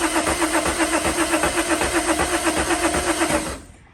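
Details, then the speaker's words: VW Mk2 Jetta with swapped VR6, cranking after a fuse fix restored rotation; steady starter cranking about four pulses a second for three and a half seconds, never catching; crank no start, later traced to seized fuel injectors. "we have crank we know we we have fuel you know you hope you turn the key the very next time and you're going to get fire and not having fire is just such a demotivating point in time"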